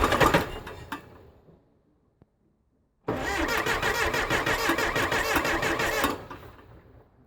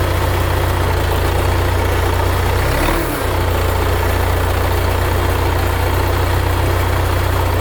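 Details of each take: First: 1975 Case 680CK backhoe diesel, sat unused a long time, after oil change (water in crankcase), coolant and new charged batteries, glow plugs working: starter turns slowly and laboriously without catching; owner suspects batteries; slow cranking. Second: 1975 Case 680CK backhoe diesel, first start after long storage with new batteries, fresh oil and coolant, throttle reset: low, even chug at steady idle with no misses or knocks; normal idle.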